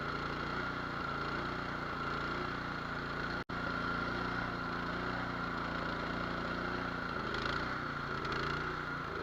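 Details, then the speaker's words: Nearly new, unused Cub Cadet 824 two-stage snow blower, 208cc, brought in as a no-start, started on choke: single-cylinder idle with a slight hunt, pitch sagging and recovering. Surging from a clogged idle jet, to be cleaned or drilled out. "We're going to be drilling out the idle jet on this one, or we'll just take it apart and clean it."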